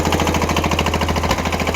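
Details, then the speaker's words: Kubota L210 21 hp diesel tractor after cold start, smoking: clatter about ten beats a second, uneven and popping as one cylinder fires only intermittently; smoke stops and it runs well once it kicks in. "popping is the other uh the other cylinder trying to kick in once it does it'll quit smoking it'll run good"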